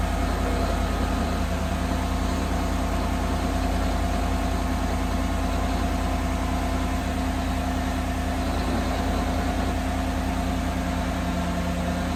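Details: 2018 Chevrolet Silverado 5.3 L V8 at idle: a rough, grating drone runs under the exhaust beat. The owner suspects bad bearings, probably in the water pump, which he is replacing. Not confirmed.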